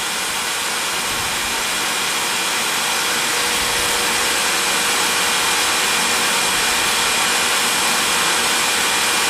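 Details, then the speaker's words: Vacuum-forming rig: steady loud rushing hiss with a thin high whine as the intake seals off; the plastic pulled so tight under the PVC pipe that the vacuum sucked a hole through it. "I believe you could hear that high-pitched kind of whine there."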